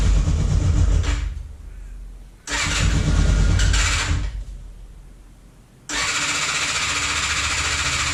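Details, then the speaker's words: Free motorcycle on full choke: repeated cranking bursts that fade out, then steady churn, but engine never catches and runs properly; starting questionable. "So it'll start on full choke, but then you can hear it's just idling over. Whether or not it'll start is questionable at this point."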